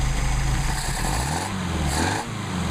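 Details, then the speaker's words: Mercedes-Benz 190SL, rebuilt Solex carbs, airflow still 6 on both, linkage reinstalled with nothing changed; unmachined throttle plates may let idle wander slightly. Steady even low idle, smooth regular beat, no misses or surging; normal idle. "That's how you adjust your carburetors. And the idle will adjust a little bit by itself because, again, we didn't do any machine work on the throttle plates, and so they wiggle around a little bit."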